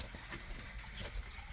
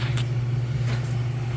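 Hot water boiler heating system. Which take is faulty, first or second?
first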